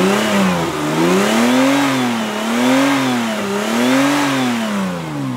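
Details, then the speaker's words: 1995 Lexus ES 300 sedan being revved: loud raspy blat rising with revs from an exhaust leak, otherwise no knocks, valvetrain noise or ticks; engine itself healthy. "well first of all you'll hear the exhaust leak number one that'll be the loudest thing"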